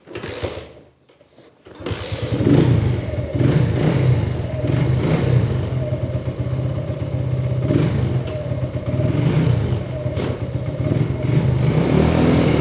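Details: 125cc single-cylinder motorbike after repair, which had been restarting only after half an hour to an hour; short crank, then settles into an even thump, revving and pulling cleanly with no misses; running normally.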